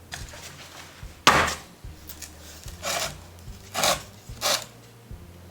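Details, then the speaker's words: Old wooden buggy or wagon wheel bought at auction, worked by hand during a diagnostic check: dull, hollow wooden knocks and a loose clatter, as the wheel is quite loose, with spokes and felloe unsound. "Chúng tôi sẽ lắng nghe cách chúng phát ra âm thanh, chúng thực sự khá lỏng lẻo, hãy kiểm tra thực tế và xem những gì có thể hiển thị trong chúng."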